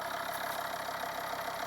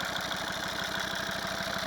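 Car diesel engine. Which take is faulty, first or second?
second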